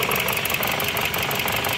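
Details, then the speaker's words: Dodge 2.4 with replaced engine, computer and harness, leaking much oil, misfire on cylinders 1 and 2: sharp clattery tapping over rough stumbling idle; engine knock, mechanic suspects connecting rod or main bearing, not confirmed. "se escuchaba el motor que golpetea muy feo como en una biela o en la bancada"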